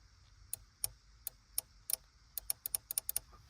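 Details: Relay on a vehicle module board bench-tested by applying 12 V to its switching coil: crisp, sharp clicks as the coil energises and releases, each one clean and positive, showing a good relay.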